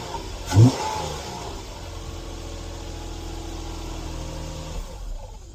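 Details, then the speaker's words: 2012 Nissan Maxima 3.5 started after sitting: it catches, then a rough rattling rev settles to idle. The leaking oil-pressure-fed timing chain tensioner has bled down, so the slack chain rattles until oil pressure builds. "And that's what a that's what a leakin timing chain tensioner sounds like. Um, timing chain tensioner is driven by oil pressure."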